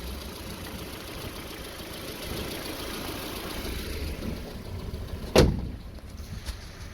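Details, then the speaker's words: Barn-find old Honda CR-X, started after sitting behind the shop: steady, even low idle with no misses or knocks and one clank partway through; it runs fine. "let's see if we can get this barn fine behind the shop honda cr-x out of here and get it cleaned up it's running it's always good"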